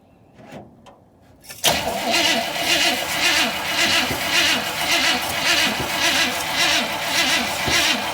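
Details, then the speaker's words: 1958 Chevy Biscayne with a 283 V8, cold weather with snow falling, good battery and fuel pump: the starter spins the engine with a steady whirring rhythm but it never catches. It almost fired earlier when the choke was opened. Cranks but no start. "Nope, we got nothing. No, might have to sit again for a minute."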